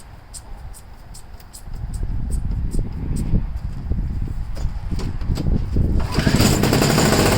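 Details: Two-stroke snow blower that sat 10 months and would not start because it had too little fuel: after refilling with mixed gas, uneven sputtering pops, then it catches and runs steadily and loudly. It runs fine.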